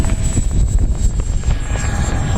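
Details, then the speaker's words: FMS 80mm Futura V2 EDF RC jet climbing out after takeoff in crosswind; piercing steady whistle over wind rumble, a screaming banshee fan sound — high-pitched fan whine, cause not identified. "Yeah, it just has this screaming banshee sound to it."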